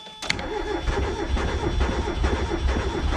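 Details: Mazda Miata bought for $100: starter churns the engine over in a steady, uneven rhythm with no firing; crank no start, fuel starvation suspected, not confirmed.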